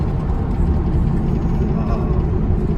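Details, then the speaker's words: Ram 3500 Cummins, deleted, Edge tuner at juice level 3, AFE turbo and intercooler tubing: heavy drone under throttle with a faint hiss, no clear knock; boost leak suspected, and it persists after tightening clamps. "A sound that pops up whenever I get into the throttle. What is that? I thought it was an air"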